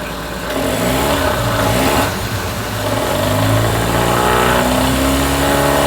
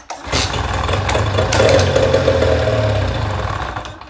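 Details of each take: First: Mercury 9.9 hp outboard after fuel line replacement, idling then revved in neutral/reverse: revs up and settles cleanly with steady even beat; running healthy, old fuel line believed the problem rather than carb. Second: Mercury 9.9 hp outboard that ran last season but won't start, in neutral during spark check after tightening loose spark plugs: fires and runs raggedly about three seconds then dies; loose plugs suspected, not confirmed.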